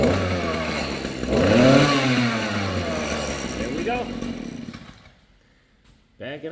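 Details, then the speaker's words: Stihl string trimmer (small two-stroke) after repairing a broken inner drive shaft: revs smoothly to a high buzz, dies away and restarts cleanly. Normal running after the fix. "Simple as that, guys. Check it out. Fixed. Time to go weed whack."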